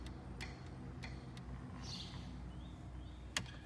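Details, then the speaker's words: 2010-2014 Mustang with a Granatelli line lock installed: crisp single clicks over a low hum after two brake pumps, the line lock solenoid switching properly. "Now, in order to get that solenoid to work, 2 pumps, you can hear it clicking."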